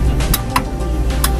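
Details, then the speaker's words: Mitsubishi L300 diesel, ignition on before cranking: a few sharp, crisp clicks in under two seconds over a low steady hum as the glow plug relay switches; relay working normally. "after the ignition pressed before we start, we press like this so its position before doing the starter and the relay beeps"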